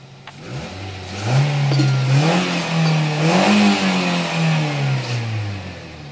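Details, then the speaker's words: Nissan Grand Livina, recorded at the exhaust after the ignition coil problem (coil leaking to the engine block) was fixed: engine revs up and settles cleanly with no misfire, stumble or sputter, which were heard before. "sekarang sudah halus lagi enggak ada suara pincang berebet enggak ada ya"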